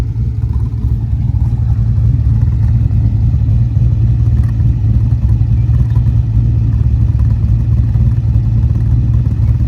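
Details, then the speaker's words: LS V8-swapped BMW 1 Series at idle after installing an ultra-quiet resonator to cut drone: deep, intermittent chuffing pulse from the exhaust in time with the cam chop, absent before the resonator. "So you can hear that kind of like chuffing type noise, and it's kind of intermittent there with the cam chop, and it doesn't sound good."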